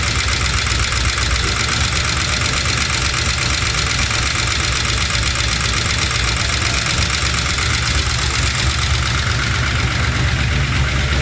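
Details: LS-swapped Chevy C10 with new lifters and reinstalled head gaskets and heads: quick light ticking about four taps a second over steady idle; valve train tap persists, code reader shows timing advanced, owner suspects cam was installed mistimed.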